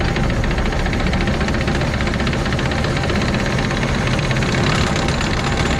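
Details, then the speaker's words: 2006 Arctic Cat Prowler XT 650 H1 UTV, after replacing a failed output shaft bearing inside the engine: harsh, rough constant grinding rasp returns while running; cause of bearing failure unknown, engine to be removed again. "all right so uh got this thing back together everything was good and now it's grinding again doing the same thing it was before"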